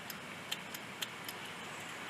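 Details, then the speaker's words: Bolens riding lawn mower: sharp, irregular clicks with no cranking when the ignition is jumped with a wire, same as turning the key; failed starter solenoid not engaging the starter. "if you can hear that clicking you'll see that it's doing the exact same thing that it was doing when I was turning the key nothing"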